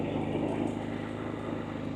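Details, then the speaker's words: Harbor Freight Predator 3500 inverter generator just started with choke, switched to run, periodic exercise run: small engine steady and even, low regular firing pulse, slight shaking but very quiet, no knocks or surging; healthy. "I don't know if you can see how it's shaking or not it does shake a little bit but as you can hear it's very quiet"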